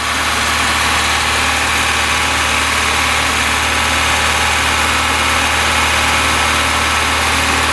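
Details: VAZ 21099 with 185,000 km, brought in for oil consumption, knocking and poor running on cold mornings; after repair with new plugs and retimed, head torqued, loud steady idle with even beat and no knock or stumble.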